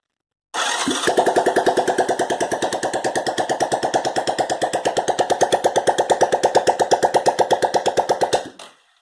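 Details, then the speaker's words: 1986 Honda Fourtrax 125 single, freshly rebuilt top end with lapped valves, valves set 0.005 intake/0.008 exhaust, exhaust pipe removed: loud sharp even popping from open port as it catches and runs steadily, burning off assembly lube; healthy. "oh yeah getting rid of all that assembly lube from putting her together"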